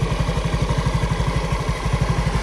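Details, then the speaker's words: Honda BeAT Fi scooter restarted after a DIY oil change at 46,237.7 odometer, with fresh oil and no leaks found. A steady low putter with evenly spaced pulses and no rattle; quiet and smooth, with no more vibration in the handlebar. Normal idle. "So tahimik na ulit umandar. Smooth na, wala nang vibration sa manibela, no?"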